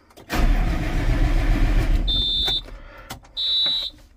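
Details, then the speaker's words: Tractor after fuel filter change, cranked after about 20 seconds of priming: starter churns about two seconds without catching, then two high beeps; air in fuel system, mechanic advises loosening a bleed screw. "We might have to loosen that screw, but we will see."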